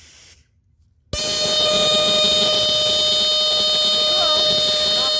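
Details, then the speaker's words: Entronic Vigilante II ES-7 smoke detector, 9-volt model from 1976–1978 with an Edwards horn. Brief silence, then a loud shrill steady tone from the detector alarming properly on test smoke from a smoke saber. "on. Okay, and that's a high pitch. That's pretty high pitched."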